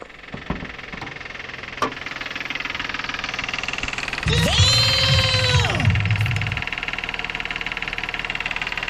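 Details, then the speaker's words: 2011 GMC Terrain, GM 3.0 V6 at idle before a timing system rebuild: a fast, fairly regular metallic "death rattle" about four times a second, steady throughout; an internal engine rattle, cause not yet diagnosed. "That is our that is what I lovingly refer to as a death rattle."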